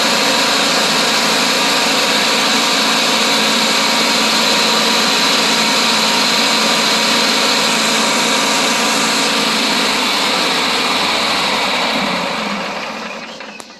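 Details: Riding lawn mower engine after voltage regulator replacement to fix battery not charging, aiming for about 13.8–14 V: steady even high-pitched drone, no knocks or misses, winding down cleanly at shutdown; normal running.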